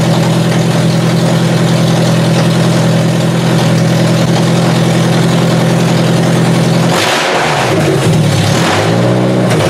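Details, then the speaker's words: Toyota Solara demolition derby car, start-up test with washer fluid poured on the coil packs: the engine stumbles and surges unevenly as it catches; a misfire likely from arcing ignition coil packs, due for replacement. "Well, unfortunately, I can't really replicate what would happen, but you heard it when it fired up that it kind of stumbled a bit. So, I seriously think this was the issue. You could actually see the coil packs arcing out."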